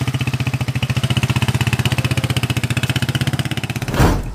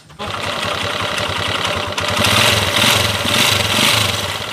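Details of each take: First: TMX155 single-cylinder motorcycle on a road test after replacing piston rings, valve seal, knuckle bearing and battery: a crisp, even beat at about four pulses a second with no knock or tick, running smooth. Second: Second TMX155 single-cylinder engine, which previously ran with cricket-like and clacker-like noises: an uneven idle a bit over two beats a second with a chirping clatter on top, described as a mix of noises, cause not pinned.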